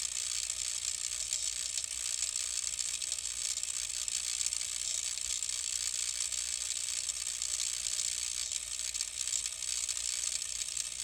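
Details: Denon X1800 mixer after boot: a steady, thin high-pitched electronic buzz with fine crackle, changing with FX channel settings and when network cables are unplugged. Apparently a fault others have had; the unit was returned to Denon for repair.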